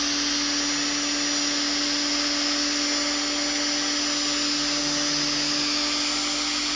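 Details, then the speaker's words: Kitchen mixer after armature replacement and new carbon brushes, run on parallel supply; even high motor whine at constant pitch for seven seconds, no crackle, rattle or surging, the earlier sparking now gone; normal motor run. "आपण स्टार्टिंगला पाहिलेलं होतं की mixer spark होत होता. आता तुम्ही बघू शकता स्पार्क होत नाही."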